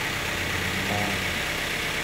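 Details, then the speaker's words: Grand Max engine freshly rebuilt, idling while warming up and waiting for the cooling fan: smooth low hum with a light hiss, no knocks, ticks or misses. Clean and healthy, no smoke, only normal condensation. "suaranya halus, halus, jernih, yo. Bersih seperti biasa, ya."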